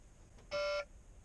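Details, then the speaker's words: Truck cab: single mid-pitched chime about a third of a second over quiet cab hum, low-coolant warning with maintenance-required and stop-engine faults; false alarm, coolant just checked and full. "well it's not giving me that noise anymore so oh [ __ ] yeah I I don't care you're a lying sack of [ __ ] boy who cried [ __ ] wolf you have coolant I know you do I just checked"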